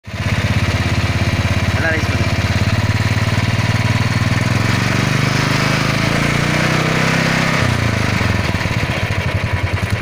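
Single-cylinder thump with an uneven clattering rattle over it, not tied cleanly to the beat; chain and engine noise, source not pinned down.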